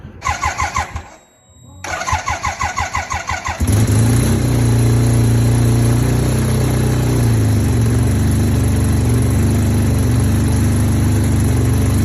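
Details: 1975 Suzuki RE5 rotary (Wankel) motorcycle, all original, cold start. A few seconds of rhythmic cranking, then it catches and settles into a smooth, even, steady idle: healthy start.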